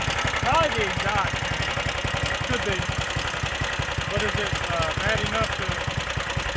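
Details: Stage 2 Predator 420cc single-cylinder on a Polaris rat-rod ATV, rebuilt after muddy-water ingestion (rings cleaned, valves re-lapped, headwork): steady, slightly uneven thumping with background noise, holding idle normally; carb needle adjusted but still needs leaning out.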